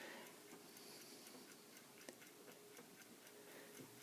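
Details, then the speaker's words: Antique Ansonia Plato flip clock, made 1904–1906; light, crisp ticks at a steady, even beat in a quiet room; movement running normally. "you can hear the clock of ticking you turn the tiles the tiles are turned by a little knob on the bottom or Pages or plates"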